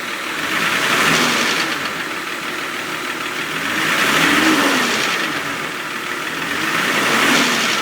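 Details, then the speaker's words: 2000 Jeep Cherokee Limited 4.0 replacement engine with new water pump, thermostat, manifold gaskets, rockers, springs and pushrods, revved after startup: metallic rattle rising with revs; bottom end ruled out, top end, owner suspects a couple of lifters. "here's a start up and let you sound hear what it sounds like when you rev it up it actually rattles even more"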